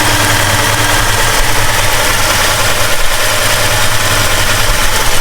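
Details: 1969 Plymouth Road Runner 440 V8, first run after 20+ years sitting, warming up with temperature rising: loud, deep, even idle with no ticks or knocks; normal idle.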